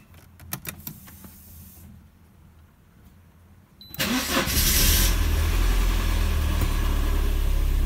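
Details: Mercedes 190E (W201) with prior cold-start trouble, after cleaning the cold start valve connector contacts, started after a night at 26°C ambient: quick crank, catches cleanly at once and settles into a steady, even idle; normal cold start.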